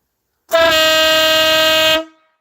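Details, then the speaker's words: Trike air horn on top, fed by a small compressor underneath: one loud, steady, brassy blast of about a second and a half at even pitch, cutting off cleanly; the horn works properly. "I woke up half the neighborhood had that air horn on the top it's got a little B compressor there on the bottom"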